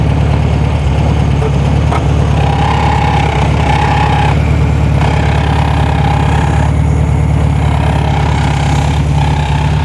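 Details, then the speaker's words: 1973 VW Super Beetle, first run after 20+ years off the road, freshly installed engine: lumpy low idle with a thin scraping whine near 850 Hz that comes and goes, the cooling fan rubbing its shroud; then the fan shroud is adjusted and the strap moved. "I'm going to have to do something with the fan real quick it's not lik in the fan"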